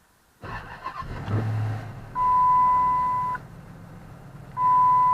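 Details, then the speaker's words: 2007 Chrysler 300C, 5.7 Hemi, ESP/brake assist warning light on: engine catches after a short crank into a steady even idle with a light rev, two chimes; doesn't sound too bad, possible exhaust leak or top-end noise suspected; normal start and idle. "It doesn't sound too bad. Let's give it just a little bit of a rev. It's warmed up. It doesn't sound too bad."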